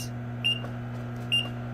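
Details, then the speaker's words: Frymaster FMH222 electric fryer: contactor clicks as if cycling though not heating, then two short high beeps about 0.9 s apart over steady hum as it shows "Prob"; the computer controller, not the probe, is faulty; controller probe alarm. "it will suck it which shows like it's cycling but it's not even if you can hear the contactor closing and opening and in a few seconds it will show pro so the problem is"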